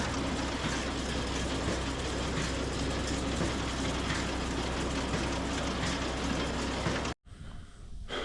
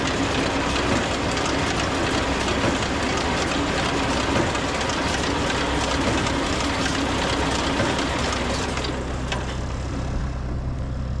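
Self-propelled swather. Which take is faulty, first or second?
second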